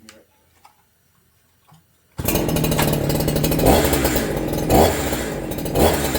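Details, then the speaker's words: Holzfforma G372XP chainsaw after five tanks of break-in, with HTSS mods: it revs up to a rough, buzzy high rev with a faint tinny rattle only in one rpm band, not at idle or full rpm. Suspected resonance, possibly internal or clutch. "Yeah, you can hear it. But it's only at that one RPM level. It doesn't do it at idle and it doesn't do it at RPM. It's almost like there's a resonance in there somewhere."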